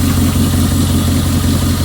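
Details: Salvage-yard Jeep 4.7 V8 with poor cold starting, after new plugs and replacing coils with higher-voltage aftermarket coils: smooth, even idle with steady low rumble and no stumbles or skips; all cylinders firing cleanly.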